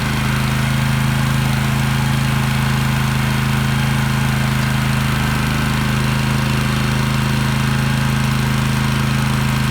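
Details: 2.7kVA generator after repair of a no-voltage-output fault, covers refitted, light plugged in and working: steady even drone at one pitch with no misses, surges or knocks. Runs smoothly under light load.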